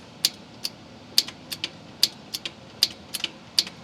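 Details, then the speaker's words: John Deere X320 that intermittently shuts off: fuel shutoff solenoid on carburetor gives crisp clicks as the key is cycled with parking brake on, engine off, mic near solenoid; solenoid works, owner then suspects intermittent wiring short. "But when I cycle the key, I could hear it clicking. When I turn the key, you can hear it click."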